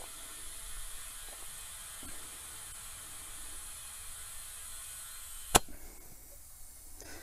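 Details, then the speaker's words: 1950 Chevy that sat outside for 21 years: a thin, steady hiss from a badly deteriorated front-tire valve stem leaking air as fast as it is being inflated, ending with a click. "yeah this this valve stem is leaking air fast as i can put it in boy that's unfortunate that is unfortunate"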